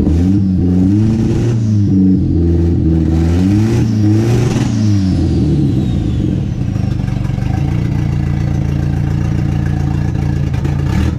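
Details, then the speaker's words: Nissan 240 with KA turbo engine and new Pulsar PSR 3582 turbo, first run after build: repeated throttle blips with wavering, uneven note smoothing out each time as fuel tuning clears rough running. "for a little backstory right here what I'm doing is doing a little bit of fuel tuning trying to get it's a clear up so just lay out and listen you can hear it clear a little more each time"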